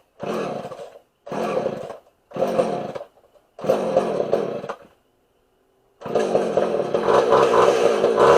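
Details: Homelite 240 chainsaw, suspected over-fuelling, after the low jet (was out about eight turns) was turned in a full turn and the high jet adjusted: four short bursts that catch and die, then it keeps running longer, with erratic revs.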